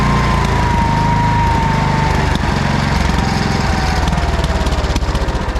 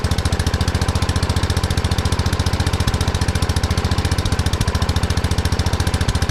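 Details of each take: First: 1979 Kohler K301 12 hp single-cylinder after electrical and carburetor repair: steady, even running while charging at over 14 V with a dead battery; the throttle shaft seems to cause a slight miss. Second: 1979 Kohler K301 12 hp single-cylinder from a riding mower, after carburetor and electrical work: runs fast and steady at too high an idle because the carburetor adjustment went too far; owner later readjusts it.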